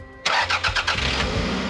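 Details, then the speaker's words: Toyota RAV4 first start after replacing clutch, flywheel and rear main seal; a few quick cranking beats, then it catches cleanly first try and settles into a steady idle; normal engine start. "Yes, it starts."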